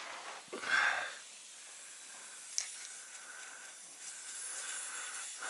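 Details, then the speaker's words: Kenworth T680 truck, underneath during greasing: faint steady hiss of escaping air with a few handling knocks, traced to a leaking air-line quick-disconnect fitting. "looks like I just found my leak it's right here it's this quick disconnect sleeking I hate these things I really hate these quick disconnects you can hear it right there"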